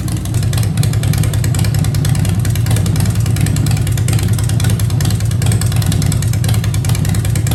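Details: 2015 Harley-Davidson Breakout with Fuel Moto 110 kit (10.5:1, Level B heads, Woods 777 cams, 55mm throttle body): steady V-twin idle lope, blips rise and settle cleanly; healthy.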